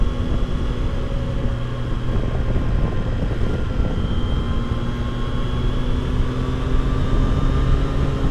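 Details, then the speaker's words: 2022 Triumph Tiger Sport 660 after its 600-mile service, cruising; thin constant whine over engine drone, holding pitch with road speed, with vibration through the pegs around 37–38 mph. Chain tension checked and found too tight, lacking slack. "So that most likely it was the chain. And then after I checked the chain tension, then I was pretty sure that's what it was."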